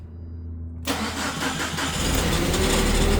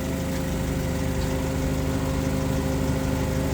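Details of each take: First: 2008 Mitsubishi Caterpillar 5000 lb dual-fuel forklift running on gasoline, pre-delivery inspection: engine catches at once and settles to a mid idle, with a short extra starter whirr spinning on just after firing; starter overrun after start. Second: 2008 Mitsubishi Caterpillar 5000 lb dual-fuel forklift, switched from gasoline to propane during pre-delivery inspection: steady, even low hum with no misses or knocks; normal idle.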